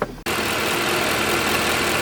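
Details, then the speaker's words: Mercedes ML63 AMG W164, M156 engine, after power steering pump replacement: smooth even idle with steady airy hum and no ticking; healthy, idle dead even. "she is sounds very nice and healthy felt is dead even we're good"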